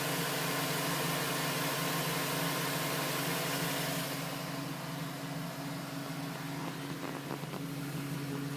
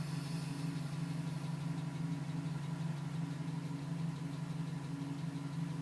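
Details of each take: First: 2010 GMC Sierra with 2000 miles, which tapped after start-up (owner wondered about piston slap). Once warm, the tapping stopped at 5 minutes 42 seconds, leaving a steady, even low idle hum. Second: 2010 GMC Sierra V8 with 2000 miles, cold start, still tapping at 4 minutes: steady tapping about three per second over a low hum; stops at 5:42 once warm; owner suspects piston slap, unconfirmed.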